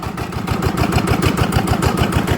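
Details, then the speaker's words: Yanmar TF85 LM single-cylinder diesel, after repair for stiff turning and seizing, reassembled: steady even beats, gear noise very quiet, no knocking; normal idle, injector O-ring found leaking. "ตอนนี้ก็เสร็จเรียบร้อยนะครับสำหรับเครื่องยมานะครับอ่านี้รู้สึกว่าเสียงเฟืองนี่จะเงียบมากนะ"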